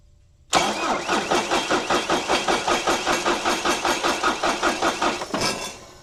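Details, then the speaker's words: Irrigation pivot engine at 6,574.5 hours, just given fresh oil and a new filter, cranked a few times to move oil before starting; the starter turns it evenly at about 2.5 compressions per second for five seconds with no firing; normal cranking. "I'm gonna crank it over a few times to get some oil moving around in there, and then I'll hit the button that'll start it."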